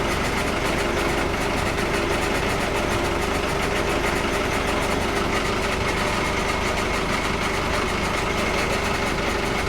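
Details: Volvo Penta KAD32 marine diesel in a 2001 Sealine S28 after impeller, primary fuel filter, oil and filter service; steady even idle with no misses after revs recover from a fuel-filter airlock.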